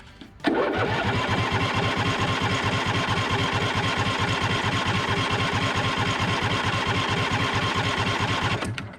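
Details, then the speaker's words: John Deere D140 with Briggs and Stratton twin, sat for years, jump-started from a deep cycle battery on full choke with little fuel; steady starter churning, cranks but won't start. Owner suspects fuel starvation or a faulty fuel shutoff solenoid. "It sounds good. I feel like it would have started if it was going to right there. I don't know if it's getting enough gas."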